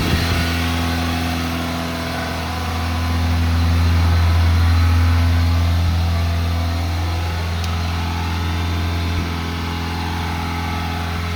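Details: 1987 Honda Accord, 130k miles, cold start: fast idle won't kick off, staying around 2500-3000 rpm even at operating temperature; steady fast hum with slow swells, no load; high idle.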